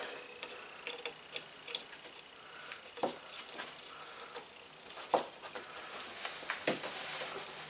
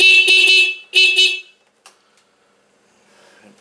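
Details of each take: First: Scooter horn gives irregular dry clicks instead of a tone; the contact adjustment screw is out of adjustment, fixed by loosening the lock nut and adjusting the screw. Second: Scooter horn after loosening and adjusting its nut: two clear, loud honks, each a strong steady buzzy tone, horn working normally again.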